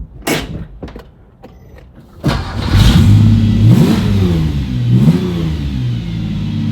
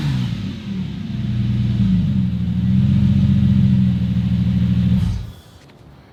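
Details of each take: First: Porsche 911 with swapped Subaru EZ30R engine, first drive after 3 years of work, in gear pulling out of the garage: engine revs unevenly with a wavering pull, hesitates and rough under load, then stalls; cause unknown. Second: Subaru EZ30R-swapped Porsche 911, after an earlier shutdown fault: the engine catches cleanly, idles with an even low rumble, then revs smoothly and fades as it shuts off. The owner concludes the fault is ECU-related, not a loose fuel pump negative ground.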